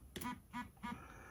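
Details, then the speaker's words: Orbit Writer braille keyboard vibration status check: three short strong buzzing pulses about a third of a second apart, indicating the very high vibration intensity setting. "so it gives me three poles which means i'm on the very high intensity pulse three times"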